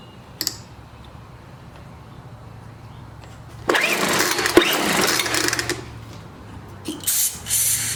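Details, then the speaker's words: Scrapped Craftsman 4-stroke trimmer/blower, full choke, a few quick rope pulls: some compression and a little spark, but no firing and no fuel drawn up. Owner suspects the carburetor isn't connected to the tank; the carb is found loose. "got a little compression she ain't cranking that's full of choke guess we can take that off see is it pulling gas it won't pull no gas up there"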